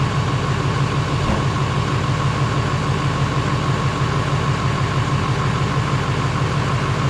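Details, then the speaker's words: GM LMM Duramax diesel truck after engine replacement, with new muffler: deep steady diesel idle, even clatter, quiet exhaust, no knocks or misses; holding almost 60 psi oil pressure and charging well, healthy. "new muffler sounds good have to double check that light but you can see here we're still holding almost 60 lb of oil pressure we're charging good"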